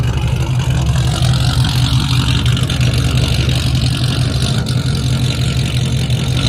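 A steady, throaty idle with a firm low rumble and no ticking on top. The engine sounds healthy.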